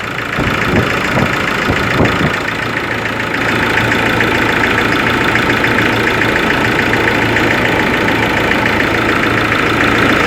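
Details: Ford Ranger 3.0 diesel, cold engine at idle: sharp irregular knock over the diesel clatter early on, then settling into a steady run; mechanics and injection pump specialist could not find the cause.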